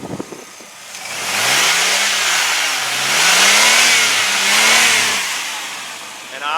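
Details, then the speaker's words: 2000 Chevrolet Blazer 4.3-liter V6 revved three times: swells up and down smoothly with no high-rev knock or valve train noise, healthy; a possible slight exhaust leak is also heard. "you can tell there is no High Rev knock there's no valve train noise on this baby nothing so yeah it sounds beautiful"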